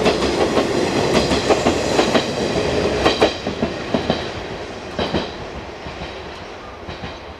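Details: JR 189 series EMU N102 passing Kamuriki station in April 2017 on a frosted morning: train running noise with sharp irregular crackles and snaps, pantograph arcing on the frosted overhead wire like a de-icing train.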